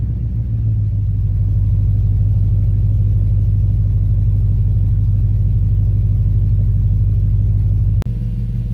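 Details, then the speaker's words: Ford 5.4 Boss V8 in a Falcon XR8 (BA-FG) idling after a spark plug replacement: deep, steady burble, even low rumble with no misses or ticks. Running smoothly. "There you have it. Purring like a kitten. Sounds like it's all good."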